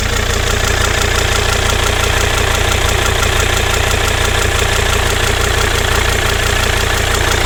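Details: Volvo XC90 D5 diesel at idle: a steady, even knock about three times a second riding on the normal clatter; an abnormal noise of unclear cause.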